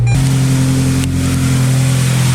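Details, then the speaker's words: Subaru Impreza with a cat fitted in place of cracked catless UEL headers and a TGV replaced, restarted during a relearn procedure after a 10-min run and 20 s off: a steady low idle with a smooth deep exhaust note, quieter than before. Normal cold-start idle. "It's definitely a lot quieter. On a cold start, definitely because of the cat and everything."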